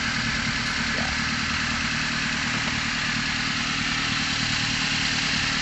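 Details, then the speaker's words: Car with unstable electrical power and battery voltage below 11.9 V, started: a steady, even idle with no hunting or dips, so the idle is normal and the rpm is stable. "Jadi kita boleh coba ini teman-temannya ini saya mau hidupkan dulu mobilnya stabil ini Alhamdulillah udah status"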